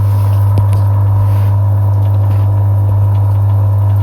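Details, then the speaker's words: Lay-Z-Spa hot tub pump, previously E02 error with clicking, after cheap DIY repair and refilling above the pump's water line, hums with a steady low drone and no clicking; spinning smoothly. "Don't know if you can hear that. It appears to be spinning quite nicely. No clicking as previously."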